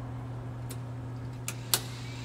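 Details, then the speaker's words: Bell 206 L4 helicopter preflight, fuel valve switched off after sumping: steady low electric motor hum with sharp clicks. The fuel shutoff valve actuator is cycling normally. "then you can turn off the power again that little noise there that you just heard if you ever turn off the battery prior to this you will hear that as soon as you turn the power on"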